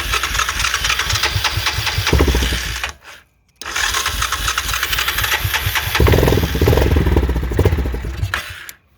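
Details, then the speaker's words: 2001 Yamaha Kodiak 400 ATV, diagnosed by a shop as seized, freed by filling the cylinder with penetrating oil: it cranks, catches, briefly drops out, then runs freely with a steady beat; the engine turns over and runs normally. "she runs so so much for uh a seized engine"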